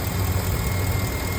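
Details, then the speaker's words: 2015 Ford F-250 (6.4L in title, 6.2 also said) after the electronic throttle body was replaced: deep, smooth, steady idle rumble, strange clicking and vibration gone; normal idle. "Ya se le fue el sonido que estaba acá, vibración, una aceleración limpia."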